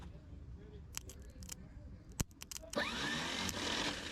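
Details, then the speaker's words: 1972 Chevrolet Malibu that sat 25 years: a few clunks, then a high rising whir with no cranking beat; the starter spins but the engine does not crank. Owner suspects the Bendix is not engaging, and hitting it with a hammer did not help. "Oh, that sounds horrible down there. Let me go hit it with a hammer. This sometimes works."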